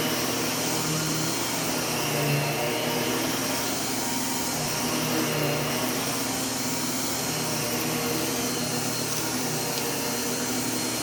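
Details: Heavy bagged U1 upright vacuum switched on with its separate power and brush roll switches: strong even motor roar, brush roll spinning smoothly, no rattles, squeals or surging; normal running.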